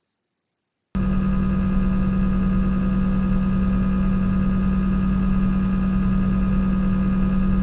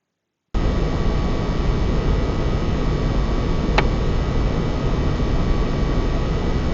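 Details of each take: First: PS5 console, fan A type, in active standby: the slow fan gives a steady low hum with a thin squeaky tone riding over it. Fan squeak at low speed, less pronounced than on fan B. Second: PS5 (likely disc version) fan type A after about 15 minutes playing Demon's Souls: steady, even fan rush with faint high tone, no squeak standing out; normal cooling fan noise under load.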